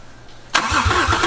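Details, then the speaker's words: Imported Australian MK4 Toyota Supra during restoration, first start-up: catches on the starter and settles into a slightly uneven, lumpy beat; runs alright but shows a misfire they have been chasing. "She lives. Yay. Sounds alright. Yeah. And noticed a miss we've been chasing."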